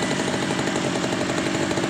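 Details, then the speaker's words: Stihl two-stroke brush cutter that would not start after 100 pulls, after carburetor service for suspected blockage: crisp, fast, even buzz holding steady without stumbles or surging; normal running. "Ini kita tes kembali. Hidup normal"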